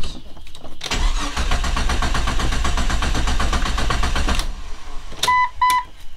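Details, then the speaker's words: 25-year-old Jeep Cherokee XJ after an exhaust shop visit: the starter turns the engine at a steady beat for about three seconds but it never catches; crank no start, fuel pump not heard priming; fuel pump failure suspected, not confirmed. "okay I'm seriously not sure what's going on now because now we have uh crank no start I didn't hear the fuel pump"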